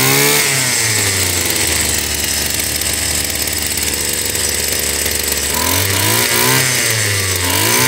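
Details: Stihl FS 76 brushcutter, probably over 20 years old: high buzzy two-stroke note hunting up and down between blips, not settling cleanly; carburetor barely moving fuel, fuel delivery suspect.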